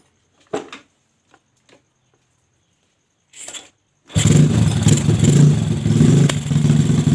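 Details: Yamaha Jupiter Z with bore-up engine, new valves and piston, freshly fitted unset PE26 carburetor: fires and revs unevenly, surging and sagging instead of climbing cleanly, bogging as if fuel-starved; suspected carb setting, not confirmed.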